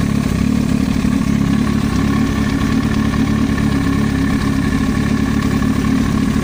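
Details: Yamaha R1 engine noise: fast, fluttering idle with a busy mechanical clatter over the exhaust note; cause unclear.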